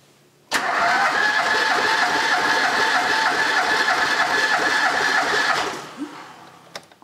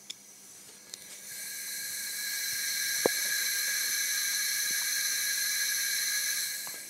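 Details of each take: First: Ford Pinto engine once parked 15 years, compression test on cylinder one after running a while: steady, even cranking about three per second with no stumbles, reading around 12 kg, good compression. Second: Pinto engine (DAX project) parked for 15 years, during a cylinder leakage test, heard at the crankcase oil return opening: steady high-pitched hiss of air escaping past the piston (blow-by) despite good compression of about 11.5–12 kg.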